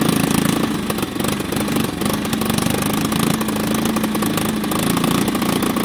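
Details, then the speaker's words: 1989 Yamaha Big Bear 350 that sat over 10 years: partly covering the air intake makes it rev out much more, while uncovered it won't rev at all; the owner suspects too much air and a carburetor fault, possibly needing a rebuild kit. "Revs out a lot more. So that tells me she's getting way too much air. That comes right back to the carburetor."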